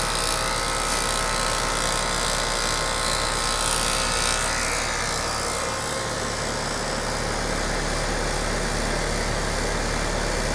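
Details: Condenser unit after replacing a bad capacitor with a 40 µF run capacitor (40 side of a 40+5): steady compressor hum, fan whirring evenly, no stutter or buzzing; running normally.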